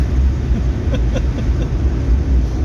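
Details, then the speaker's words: Nissan President H252 V8 accelerating from a 110 cruise after work by The Skid Factory, which now lets it accelerate as it didn't before. Deep, smooth drone builds evenly with light tyre and wind noise; normal acceleration. "So we're presently cruising along at 110, and I'll show you something that this can do now that it didn't do before. Acceleration."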